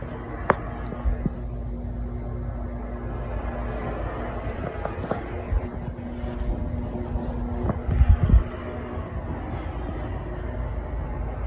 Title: Hampton Bay Sauterne ceiling fan in the master bedroom (bad capacitor)